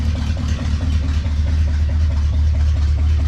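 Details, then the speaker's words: 1972 Dodge Challenger after fuel system work, exhaust partly fixed: a deep, loud, lumpy exhaust burble at idle with an uneven beat. Rough idle; owner suspects a non-working accelerator pump and overdue tune-up. "oh i fixed the exhaust a little bit still loud but it sits there it idles sounds like it's got no accelerator pump and i'm sure it hasn't been had to tune up in a while"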